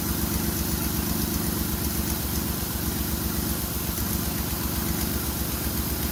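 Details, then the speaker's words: Ford Escape (2001/2002) after spark plug hole thread repair: steady idle with an even pulse, about four per second, and no puffing or hissing at the plug; no longer blowing. Normal idle. "it probably sounds a little bit funny but they almost sounds like it's blowing by it's not that's the engine noises"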